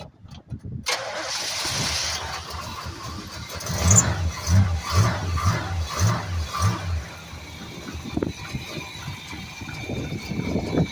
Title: old start cold start runs awesome